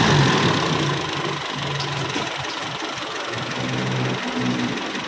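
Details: Toyota Kijang Super engine after overhaul, left running to monitor for changes: even idle pulse about four beats a second, no knocks or rattles; ticking over smoothly and healthy.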